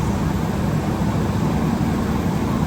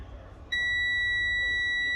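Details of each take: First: Truck diesel at idle during a CDL pre-trip brake test: steady rumble, then a short sharp hiss as the air dryer purges at governor cut-off. This is normal. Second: Commercial truck cab during a CDL-training pre-trip inspection, with the key turned on to check the gauges before the air brake test: a steady, high-pitched dash warning buzzer comes on abruptly at key-on and holds over a quiet cab; reason not stated.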